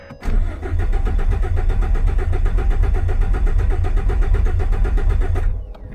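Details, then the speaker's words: Turbocharged base V6 Ford Mustang, 63,000 miles: starter cranks evenly for about five seconds, never fires. Cranks but won't start; has gas but suspected of getting no fuel, and starting fluid was found with it. "Blake's got doesn't have gas yeah it's got gas it sounds like it's got no fuel"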